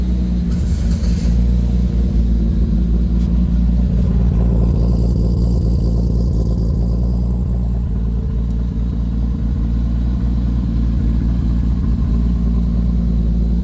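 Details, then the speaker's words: Lexus IS300 with swapped 2JZ-GTE turbo six, BC 276 cams, on a Fueltech FT550 first start with only a base idle/startup tune: steady deep idle with slightly choppy cam lope and a brief rev, no misfire or knock, fuel correction under 1%; normal idle. "so it [Music] runs this thing has a BC 276 cams in there so it's running pretty good correction is barely doing anything there at less than 1 %"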